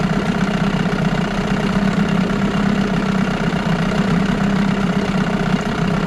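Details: 1989 Evinrude Yachtwin 6 hp outboard running in a test barrel: steady idle with a dull, uneven bottom-end knock under the exhaust burble; seller claimed a bad crank, not confirmed; it smokes under throttle.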